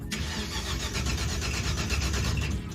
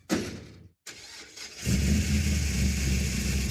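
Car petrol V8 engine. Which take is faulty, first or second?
first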